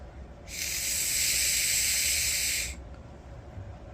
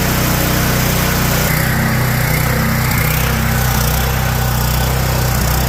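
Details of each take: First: Five-second blow test on a surging generator's carburetor: a steady two-second airy hiss as air flows freely through the primary jet with both lines pinched, showing the needle seat is clear. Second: Generator with a Kohler engine that was surging power and may have fried a microwave: it idles unevenly, its beat drifting up and down. Surging idle, attributed to a leaking idle jet; a GX390 carb is to be fitted.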